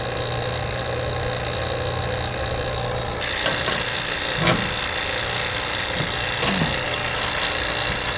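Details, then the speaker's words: Vacuum pump evacuating a new R-410A AC system via 3/8 hoses and angle shutoffs after nitrogen leak test, read on micron gauge: steady even drone rising slightly as valve opens, few handling clicks; running normally. "And I got my blue vac over there. So we'll be able to turn it on and see what we get. Pull the vacuum down. Should pull it down pretty easy."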